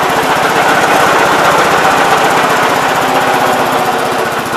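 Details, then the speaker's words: 1971 Gravely C tractor, single-cylinder: rough, uneven firing near four beats per second, stumbling rather than pulling clean under throttle; owner suspects carb, flooding, fuel, governor or spark (leaning spark); unconfirmed. "if you throttle it up it dies almost sounds like it's flooded it could be a spark plug maybe"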